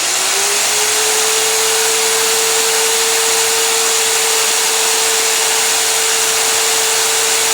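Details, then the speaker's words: Magnetic drill used like a drill press, drilling with cooling lube in a shop; motor pitch climbs briefly, then holds a steady mid tone over an even hiss, no chatter or bogging, cutting cleanly. "i can roll this up i'm going to put some some cooling lube in there and we'll get this drilled"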